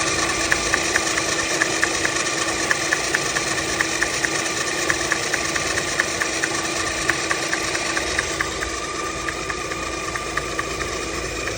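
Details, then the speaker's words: Alfa Romeo Twin Spark engine idling: a crisp, regular tap about twice a second from the timing belt area, caused by the SKF-brand balance belt tensioner bouncing; the tensioner must be set in the middle. "here's the balance belt tensioner, and the way to set this up, if you can see here, obviously it's got to be set up in the middle there, and what we're hearing is this knock."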